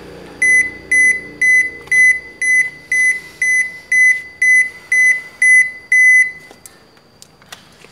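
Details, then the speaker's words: Toshiba washing machine flags door lock error E2-3: twelve sharp, high beeps at about two per second in a quiet room, as the door lock keeps running in and out in spin or safety-latch mode. "there is a phenomenon that is this lock, it keeps running in and out in the squeeze mode or the safety latch mode for the door so it keeps running in and out like"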